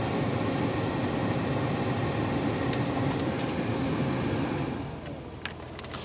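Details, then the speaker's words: Ford Explorer cabin blower motor after replacement, previously sounded bad when kicking in: steady, even airflow hum with no rattle, squeal or ticking, nice and quiet before winding down; normal blower operation. "this Ford Explorer is all sets blower motor works just fine [Music] sounds good nice and quiet"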